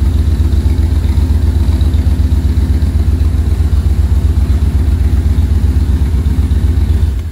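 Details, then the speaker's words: 1966 Corvette first start after carburetor-to-Holley Sniper EFI conversion, first round of tuning: deep, lumpy idle pulsing about four times a second, smells gassy; running rough, more calibration needed. "foreign well smells a little gassy running a little rough but I'm sure it's got to do its thing you should probably have more calibrations to do"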